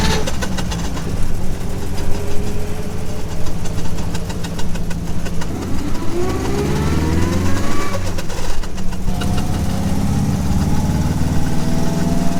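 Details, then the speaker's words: Triumph TR4 at steady idle: bird-like chirps rising in pitch over faint grinding, tach needle jumping around; failing tachometer cable. "Sounds like a bird chirping. Yeah, the needle kind of jumps around, makes a little grindy noise, so now you know."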